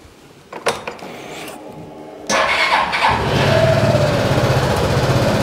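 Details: Suzuki Burgman 200 scooter, only 196 miles: after a few clicks the starter catches quickly and it settles into a smooth, even, steady idle with no rattles or misses; healthy engine.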